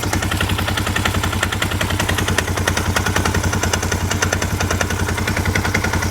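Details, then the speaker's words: 1998 Honda Recon 250 ATV after a top-end rebuild (new piston, cylinder, rings, valves, valve seals), idling in neutral. Hard, rapid metallic knock about 3–4 per second, worse under load with the brake held. Owner suspects the timing chain; it seems to come from the front or the cylinder. "Oh man. I want to say it might be the timing chain or something. I don't know, it sounds horrible."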